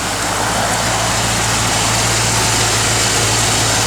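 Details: Restored 1957 Chevrolet 210 Wagon, 350 ci V8 with Edelbrock 4-barrel and aluminum intake, GM double-hump heads, MSD 6AL ignition, dual exhaust, 350 Turbo Hydramatic: smooth, even low rumble at steady idle, no misses, ticks or knocks; runs excellent.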